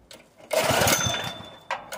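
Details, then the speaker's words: Honda GX160 air compressor engine, converted to propane, bursts to life, surges, then cuts out abruptly as if switched off, same as before the conversion; erratic running and stalling, and owner suspects weak valve springs and that a valve job is needed. "it's just like you turned it off something's killing this engine it's running just like it did"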